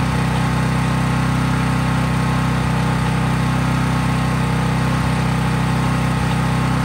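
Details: Craftsman 5000 W portable generator, cold-started, at full speed with only an LED bulb plugged in, no load; small engine holds a steady, even drone with no surging or misfires. Normal no-load running.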